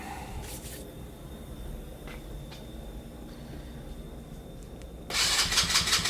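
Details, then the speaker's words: Abandoned go-kart small single-cylinder, carburettor with no choke, very little fuel in tank: quiet then short burst of fast cranking that never catches; no start, owner suspects not enough fuel. "There's no choke on this carburetor, but I don't think I have enough fuel in the tank to get it to Fire off."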